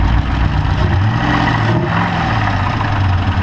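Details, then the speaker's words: Chevrolet Camaro whose oil-burning cylinder left about 2.5-3 quarts, so wide-open throttle sucked the pan dry; idle after topping up: loud, low idle with a rough, rapid lower-engine chatter; suspected spun bearing. "well I was getting ready to go and now I hear chatter so I'm going to turn it back off and check the oil"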